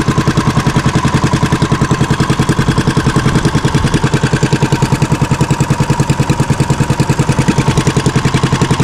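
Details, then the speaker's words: Fishing boat (bangka) single-cylinder engine after fixing a misfire and securing the shaft: steady beat about three and a half pulses a second, no misses or knocks; running smoothly. "Walang kapalag-palag mga baka maganda yung tining ng ano niya ng ehe."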